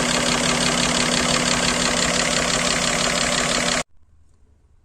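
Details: GAZelle Business with a Toyota 5VZ-FE V6, after refitting a loose hose on a valve that caused its knocking: a steady, even idle with hiss on top and no tapping or knocking, running normally.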